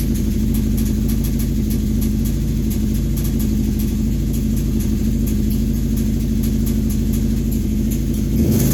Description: UPDATE: I tore down the engine and discovered a blown crank bearing.